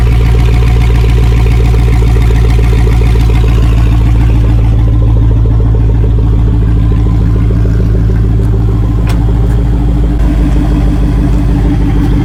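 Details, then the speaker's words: LS-swap V8 starting right after VATS was deleted from the PCM; revs up after start, then settles into a steady, even idle with a smooth rhythm and no knocks: normal idle. "There we are, up and running. That's how you delete the VATS on your LS build."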